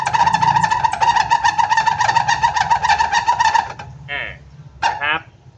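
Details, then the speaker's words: Yamaha Mio 115 on its stand, rear grab bar pressed: rapid rhythmic squeaking, three or four a second, from the dead rear shock, at the shock rod and body, not the upper or lower bushings, with no oil leak; may be bent, binding or long-cracked. "ได้ยินเสียงชัดเจนนะครับนะฮะไม่ไม่ใช่เสียงจากบูหูโช้คบนหรือบูทหูโช้คล่างนะครับคือเกิดจากที่นี่เลยนะครับที่แกนโช้คกับตัวกระบอกโช้คนะแต่มันไม่มีน้ำมันรั่วเยิ้มออกมานะครับ"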